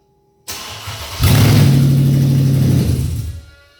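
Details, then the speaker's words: 2011 Mercedes-Benz E550 4Matic V8 test start after starter replacement, catalytic converter removed, run about 3 seconds. Quick crank, catches cleanly, loud even idle, then shut off. Normal start; new starter working. "Wow. Sounds like a real sports car."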